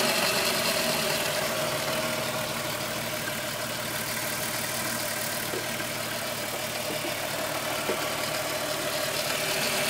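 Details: VW Golf VR6 2.9, 103,000 km, at idle: fast even metallic rattle about three per second over hissy engine note; chain-rubbing noise that grew louder after replacing upper hydraulic tensioner screw; cause unconfirmed.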